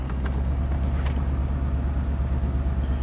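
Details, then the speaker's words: 1998 Chevy K2500 Silverado 5.7 L in gear under light load: deep steady rumble with a regular stumble about three per second, a constant miss on cylinder 5 (driver's bank, third back) with no misfire code set; the spark plug was badly fouled. "why is it not setting a misfire code for number five i don't know let's put it in in gear load it a little bit constant miss on number five"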